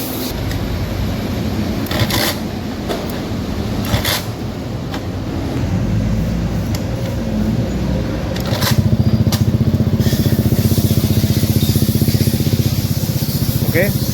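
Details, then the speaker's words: Honda Beat FI scooter, idling after a fuel pump failed to prime: ECU-to-relay signal fault fixed by repairing the socket terminal and rerouting the ECU ground. The small single fires up after handling noise and settles into a steady, even, healthy idle putter. "sudah menyala mesinnya sudah hidup."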